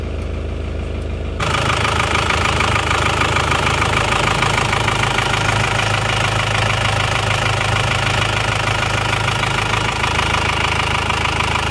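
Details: Diesel car left unstarted for 3 years, towed in from Jakarta, idling while warmed toward working temperature after starting at once: smooth, regular clatter with only normal injector tick; idle sounds fine.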